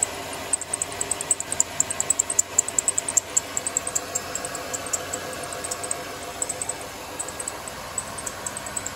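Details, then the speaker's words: 1995 Chevy Caprice Wagon, LT1/L99 V8, at idle. Sharp, high serpentine belt chirps about twice a second; the belt likely slips because the tensioner spring has gone soft, per the owner; belt and tensioner to be replaced. "were you screaming at me to make it stop when it's making that kind of chirping sound it's either the belt or the idler pulley has gone bad the tensioner"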